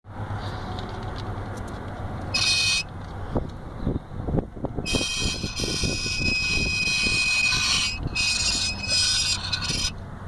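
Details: Vauxhall Astra H, wheel removed: high metallic squeal in on-off bursts as the disc turns slowly, from the bent metal brake disc dust shield gently touching the rear of the disc; fixed by bending it back.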